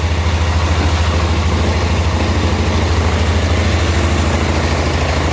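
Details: 1988 Club Car golf cart, 8.5 hp Kawasaki engine, barn find, governor spring trashed, in gear; low steady single-cylinder thump, no misses or knocks, nice and quiet, not smoking, smooth healthy idle.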